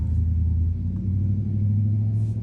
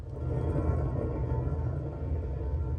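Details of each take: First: New wheel bearing in a 2006 Nissan Altima front steering knuckle, spun by hand for comparison with the old grinding, wobbling one: low steady hum, spins freely and smoothly with no grinding or clicks. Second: 2006 Nissan Altima front steering knuckle removed, worn wheel bearing hand-spun: rough low grinding rumble fading as it slows, with visible wobble.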